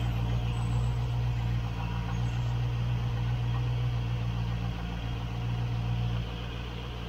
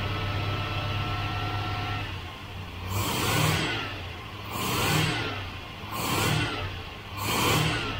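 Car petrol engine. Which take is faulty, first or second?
first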